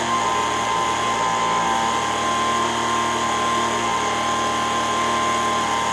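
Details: Older Echo ES-210 handheld two-stroke blower after its surging fault was fixed: high, steady buzzing scream holding one even pitch at full throttle, no hunting. Measured 7,100 RPM against a 7,000–9,000 target. Normal full-throttle run.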